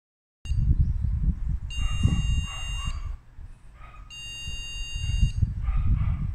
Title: DEAD DDR4 3200 16GB RAM STICK BEEPING UPON BOOT UP